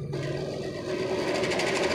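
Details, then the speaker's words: Handmade electric scooter, 48V 1000W BLDC motor and controller, on throttle test: whirr rising as motor spins up with fast scraping chatter; loose chain touching and rubbing, needs tightening. "लेकिन इसका चैन क्या है, tight करना पड़ेगा, चैन loose है अभी। यहाँ पे चैन इसका टच हो रहा है जिसके कारण ये आवाज़ कर रहा है इस तरह से, इसको भी टाइट करना पड़ेगा।"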